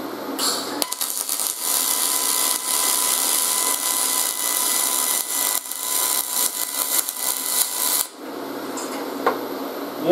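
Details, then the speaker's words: YesWelder MIG250 Pro MIG welding aluminum with a new contact tip at about 23 amps and 9.1 wire feed speed: a steady, even hiss with fine crackle and no popping or sputter, a well-tuned spray-transfer arc. "all right let's get going again wow that's it right there guys holy we're getting this thing dialed in real good now"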